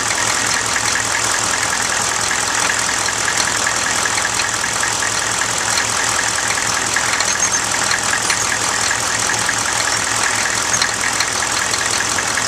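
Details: 1995 GMC Suburban 6.5L turbo diesel with newly installed HX35 Holset clone turbo, warmed up to temperature and revved slightly: steady clatter with clear high turbo whistle, no knocks or grinding; normal turbo whistle.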